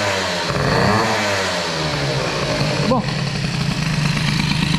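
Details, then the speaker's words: 103 moped with hybrid air-cooled Airsal 65 kit, 84 jet fitted, idle checked before a ride: uneven, burbling two-stroke that blubbers and struggles to clear after a blip; loading up on an over-rich idle mixture. "Oh, ça s'engraisse, ça s'engraisse, ça. Oh là là. Je suis encore trop riche en ralenti."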